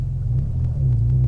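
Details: Porsche Boxster 986 idling after yearly DIY service (oil and filter, fuel filter, air filter, new spark plugs): low even rumble with steady beat, no misses or knocks; running nice and sweet, test drive is the drive home.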